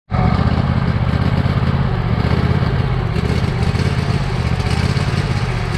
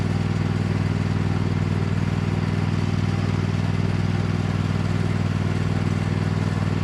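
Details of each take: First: Badly neglected Cub Cadet lawn tractor engine on its old carburetor, before replacement; rough idle loping badly, speed rising and sagging. Smooths somewhat on partial choke, which owner takes as indication of a clogged main jet; hunting idle. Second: Cub Cadet lawn tractor, badly neglected, running under load on a test drive after installing an aftermarket knockoff carburetor; steady single-cylinder beat about four firings a second, no surging or hunting. Runs far better than expected, normal.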